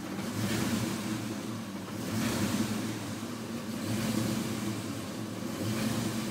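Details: Ford Mustang 5.0 V8 with bad idle, boggy acceleration, poor throttle response and stalling; IAC, alternator, battery, vacuum lines and fuel pressure regulator checked good: low rumble swells and fades every second and a half; hunting rough idle, cause unknown.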